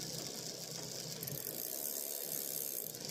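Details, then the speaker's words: Bicycle rear derailleur after adjusting to stop the noise: light, even freewheel and chain ticking with no grinding. It shifts up and down cleanly; normal gear shifting. "But if I just out-tune that, so it stops making that noise, and I'll shift up, no problem. Up, down, no problem."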